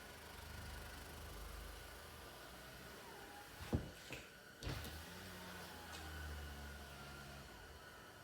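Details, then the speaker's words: 2023 Subaru Outback (6th gen) power window: motor hums slowly and labors with chattering knocks as the glass drags in a dry, sticky channel, mainly at the rear; being lubricated to fix. "You can kind of see and hear it chattering there a little bit, so run it back and forth a couple of times here and see if it gets any better."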